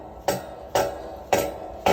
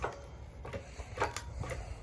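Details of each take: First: Harbor Freight log splitter whose ram fails to retract on its own after the valve is opened. Four sharp metallic clunks with a faint hum as it binds; it sometimes needs pushing back by foot or with a breaker bar. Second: Harbor Freight hand-pumped hydraulic log splitter splitting old logs: irregular creaks and squeaky hydraulic strokes with a couple of louder hissing pushes, normal hand-pump operation.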